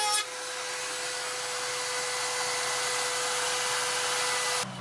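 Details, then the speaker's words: Makita 40V 15L dry dust extractor (VC004G) on 3/4 power: steady, hissy motor roar with a helicopter-like sound; it sounds like the dust bag is full again and losing suction. "It sounds like it's full again, as well as sort of losing suction. It gets a sort of helicopter sort of sound."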